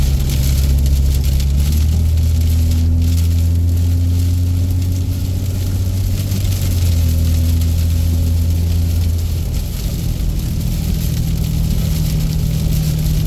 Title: exhaust brake noise gon away.